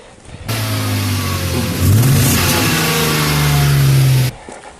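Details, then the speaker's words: BMW E34 with M50B20 engine revving: revs climb unevenly with stumbling beat and drops in acceleration, sounds like running lean; owner suspects air leak in pipes or faulty MAF sensor, unconfirmed. "basically there are drops in the acceleration you can feel that not all fuel is burning and it sounds like it's running lean"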